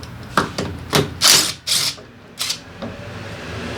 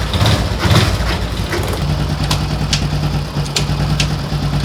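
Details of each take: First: Daelim Citi Ace 100 (CA100) with oil drained: irregular sharp clunks and rattles in bursts over a faint engine note when shifting gears, caused by worn clutch lifter assembly rollers needing replacement; other internal faults still possible. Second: Daelim Citi Ace 100 (CA100) small single after replacing the worn clutch lifter roller assembly blamed for gear-shift noise: steady low putter, light valve ticking, no grinding or clunking; normal idle.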